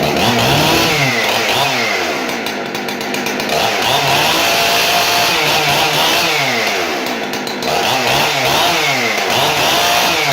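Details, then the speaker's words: Husqvarna 371XP chainsaw, barn find after repair: Walbro adjustable carb with kit, dual-port muffler mod, mostly new brake system. Revs cleanly to a sharp, steady scream and drops back crisply, repeatedly; normal healthy running. "the saw turned out really well runs fantastic cuts through wood like butter"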